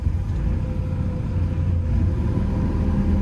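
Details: Develon DX160-7 excavator that stopped slewing with a bang, with the fault suspected in the slew motor or gearbox, now at low idle. A low, even diesel rumble with no knocks, clunks or grinding: normal idle.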